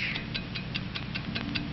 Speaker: America's fine watch ticks steadily accurately on five ticks every second